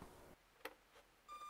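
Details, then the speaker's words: Miniature Q*Bert toy arcade machine at switch-on: a thin, steady high-pitched squeal that holds. Battery contacts are corroded and give low voltage, starving the toy of power. "it just squeals like this whenever you turn it on well that might have something to do with it"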